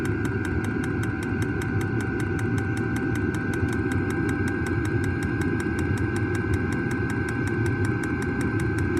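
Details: New diesel heater just installed in a Jayco Freedom caravan, heard from outside near the exhaust after start-up: steady, even combustion roar with quick regular fuel-pump ticking; normal diesel heater running.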